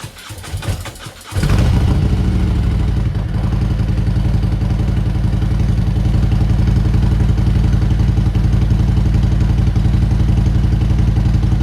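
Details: Motorcycle's first start after sitting outside for a year: rapid cranking, then the engine catches with a blip and settles into a steady, fairly even low-pitched idle thump.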